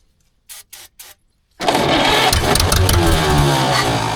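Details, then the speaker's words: 1940s Caterpillar D8 dozer's small gasoline pony/starting engine, unused for decades, rescued from a cow pasture: after three short cranking bursts it catches on ether with loud, fairly even popping, settling into a rough run, spark confirmed on both cylinders, no fuel yet. "She's got the sparkage. [laughter] And I know that our contacttor stayed in there because I heard it hit on both cylinders, not just one."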